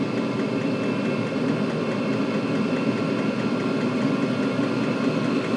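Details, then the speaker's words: Chinese 5-7kW 12V diesel air and water heater turned up to maximum power, fan about 3000 RPM rising: steady, even burner and fan roar with no surging or misfire; running normally. "Right, so for shits and giggles, let's thunder it right up to maximum power. See what his maximum power actually is."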